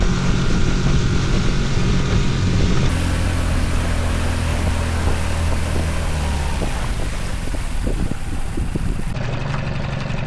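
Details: 5 horsepower outboard on a 1963 14-ft Sea King boat rescued after long abandonment: a steady, even low drone holding one speed for ten seconds with no misses or knocks; running normally under way.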